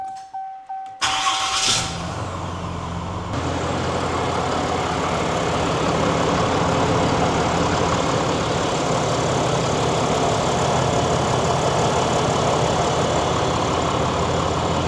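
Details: 2024 Ram 3500 diesel started just after an EMP Shield install under the hood, indicator light green: short crank, catches at once and settles into a steady, even idle with no misses or knocks; healthy start.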